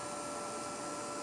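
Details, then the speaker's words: Cable fault locator arcing across a cleanly cut wire buried under tile, with a ground fault from thinset moisture, about 3 W; steady thin electrical buzz with hissy edge; cable ground fault arcing. "as the voltage drops it basically means it's creating a ground fault and it needs less voltage to bridge that Gap"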